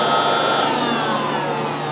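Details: 2007 Mazda RX8 with codes P0411 and P2259: secondary air injection pump commanded on, steady vacuum-like electric whir with slightly falling whine.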